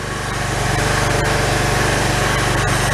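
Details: Pressure washer small engine after its carburettor was replaced: steady, even, fast putter with no misses or surging. Running smoothly.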